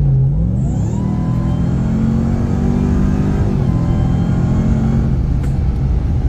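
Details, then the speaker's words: 2021 Ram TRX supercharged V8 with new aFe intake, no other bolt-ons or tune, in sport mode under hard throttle: deep roar with rising blower whistle, louder than casual driving; normal supercharger whine. "Driving casually, it's not really noticeable, but once you really get into it, it is quite a bit louder. So, you know what? I got this intake so I can hear the blower whine."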